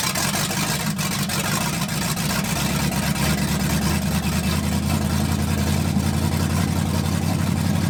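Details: 1980 Dodge short-bed big block V8 after converting from points to electronic ignition with factory harness, cam break-in; smooth, even rumble at steady speed with no misses, taps or knocks, running healthy.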